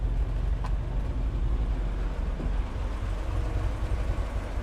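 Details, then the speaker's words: 1966 Corvair Turbo with newly fitted Mikuni carb, basically cold start at about 59°F, alternator over 14 volts: steady even low rumble with no knocks or misses, settled idle right on 1000 rpm; idling smoothly. "Let's see if she'll idle on her own now. Look at that, right on 1000."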